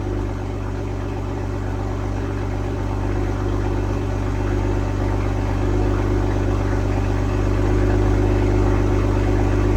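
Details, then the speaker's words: 2022 BMW M240i B58, just after an MST downpipe install with both O2 sensors reconnected, first start. Smooth, even idle with a steady low drone and no ticks, knocks or misses as it warms. No check engine light; normal idle. "The install is done. Sounds great. No check engine light on."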